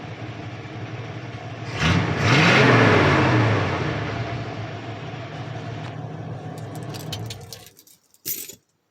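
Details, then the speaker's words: Ford 302 V8 F150 daily driver converted from EFI to a carburetor, warm on a hot start after running errands: catches quickly, faster than with the EFI, revs up smoothly and settles to a steady, even idle with no knocks or misses; normal. "That's on a hot start, but that starts faster than EFI."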